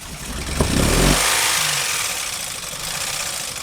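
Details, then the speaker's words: 2009 Honda Pilot engine, after another shop's timing belt replacement, cranked and started: harsh, uneven top-end clatter, misfiring, check engine light flashing; has oil that looks freshly changed but sounds like no oil pressure to the top end, cause unconfirmed. "So, we got it up and running, but it sounds terrible. It's misfiring, the check engine light's flashing. It's got oil in it, but it sounds like it's got no oil pressure to the top end. I mean, it's just clattering really bad."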